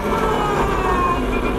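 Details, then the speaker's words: 2021 Energica EGO+ RS electric motorcycle (145 hp, 215 Nm, 21.5 kWh battery) riding in town: steady high whistle over road noise comes mainly from the chain final drive; somewhat tiring but normal, helps other drivers hear the bike. "alors vous entendez un sifflement en fait c'est essentiellement la chaîne on a une transmission par chaîne alors ça peut être un petit peu fatigant mais ça permet de se faire entendre des autres automobilistes en ville"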